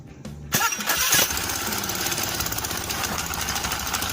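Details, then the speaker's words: Honda Beat scooter starter dynamo test; a collector found that didn't fit or rotate, starter sometimes working, sometimes not; short starter whir, then the engine catches and settles into a steady even idle, starter working again. "okay, okay, one more time, OK, friends, that means we can use the starter again, or it's working."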